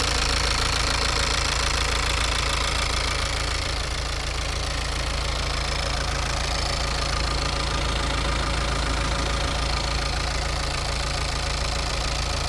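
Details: Diesel engine with piezo injectors, warmed to 87 °C, idling with injector corrections all within +0.30 to −0.12: even sewing-machine tick about three per second over a steady rumble; injectors healthy, normal idle.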